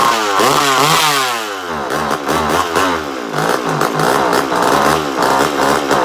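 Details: Mini Mac 130 chainsaw, first start after purchase, small two-stroke: it buzzes and revs up and down crisply, picking up cleanly each time without bogging or misfiring; runs healthy.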